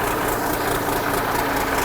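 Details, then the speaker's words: 1963 Mack F600 diesel truck: fires up after a slow start, starter valve suspected worn, and settles into a steady, even idle with a smooth low rumble, no knocks or misses; oil pressure slow to build through the big filter. "yeah there you go the old 1963 model lives and see if she's got a bit of oil pressure takes a little while to come up"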